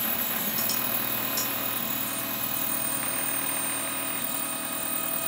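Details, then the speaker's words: DIY 3D printer/mill Z stepper motors, thought to be on half stepping: steady harsh buzzing hum with thin high whine, worse depending on where they stop in microstepping; owner plans single stepping and voltage tweaks, cause unconfirmed; stepper motor noise. "so getting an awful noise off the zmotors it seems like depending on where they stop with a micro stepping they sound horrible"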